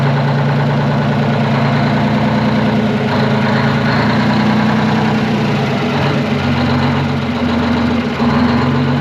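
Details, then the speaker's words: Twin-turbo 12V71 Detroit two-stroke diesel generator: smooth even idle with steady deep throb, no clatter or knocking; normal idle. "dude what a sweetheart of a motor sounds way better than a fan clattering around on it much better"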